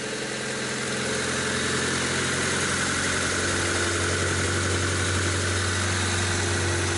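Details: 1998 Honda Civic, just rebuilt after arriving on a tow truck: fuel injectors cleaned, new iridium spark plugs, plug wires, sump, fresh oil and filter. First start gives a smooth, even idle with no valve ticking or misfire. Engine running healthy.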